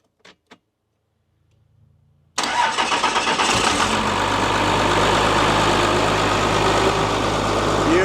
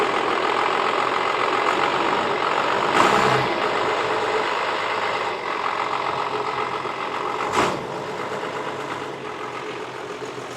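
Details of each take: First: Abandoned Dodge plow truck, 12-valve Cummins diesel, about 300,000 miles, sitting for years: silence, then catches almost at once into an even, steady diesel clatter with full oil pressure and charging; healthy start and idle. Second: Dodge Cummins diesel, sat for years: steady diesel clatter at a raised idle near 1000 rpm instead of 700–800 that doesn't drop back; sticking throttle linkage holding it high.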